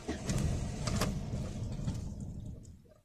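Starter turns the engine over with an uneven rhythmic churn, about four beats a second, then it stops; never fires, consistent with no fuel delivery.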